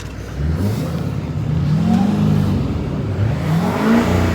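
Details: 2014 Chevy 2500 Duramax with EGR delete, with the problem valve unplugged; diesel revs up cleanly and smoothly, pitch rising and falling evenly with throttle, no stumble or miss — running normally.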